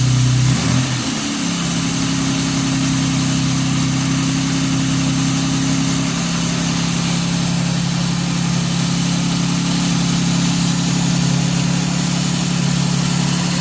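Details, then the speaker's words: 1957 Jaguar XK150 FHC first start after twin HD6 SU carburettor rebuild, baseline timing and mixtures, starting carb hissing: brief crank then steady even idle, no misses or knocks; runs smoothly, normal. "Engine starting run up and running smoothly, and we're only on the baseline setting, so it's going to get a lot better once we get the timing dialed in, get our carburetor mixtures correct."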